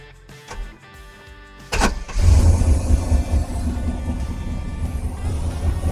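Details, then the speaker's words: 1990 Chevy Silverado Stepside V8, first start after new oxygen sensor: it fires at once into a heavy, lumpy, uneven idle; a timing light confirmed ignition timing was far over-advanced. "it did start right up but it really sounds like it's out of time I'm going to put the time and light on it and just see where it's at see if it needs to be adjust"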